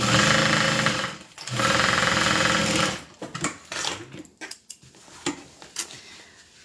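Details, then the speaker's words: Sewing machine running at a quick, steady stitch with a loose knocking and rattling riding on it, then stopping; something inside has worked loose, cause not confirmed. "But so far morbid curiosity, you hear that knocking? That's what's loose."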